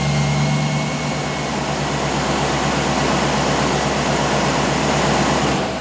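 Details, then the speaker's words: 1998 Chevy 5.7 V8 with cold-weather no-start and long crank, after new fuel pump installed, tested in shop at about 50°F: catches and settles into steady, even rumble, no stumble or misfire; fuel pressure now holding; normal running. "all right well it's confirmed fixed as far as the fuel pump goes we're not losing pressure anymore"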